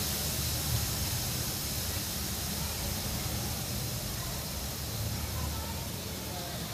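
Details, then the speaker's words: Refrigerator being repaired before vacuum and recharge, charging line cut: loud continuous rushing hiss holding level for several seconds; high-pressure refrigerant venting, letting air enter the system. "আপনারা শুনতে পাচ্ছেন যে শব্দ হচ্ছে। এখন এখানে যে গ্যাসটা আছে, গ্যাসটা বের হচ্ছে। গ্যাসটা বের হলো, আসলে ভিতরে বেশি প্রেশার ছিল, তো প্রেশারের জন্য গ্যাসটা বের হলো।"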